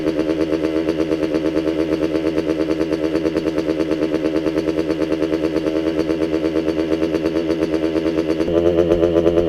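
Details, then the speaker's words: Restored 1985 Kawasaki KX125 two-stroke, first start after engine build with cylinder oiled: steady, fast buzz holding an even, slightly elevated idle with no misses; runs well, idle speed set too high. "oh hey the idol needs to come down a bit but this sounds really good overall"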